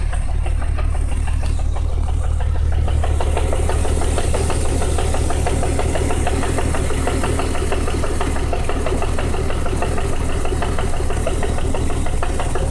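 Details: BMW 328is M52 engine with S52 M3 cams swapped in, at idle: steady idle with a regular knock of about three per second; owner unsure whether cam timing is off and what causes the knock.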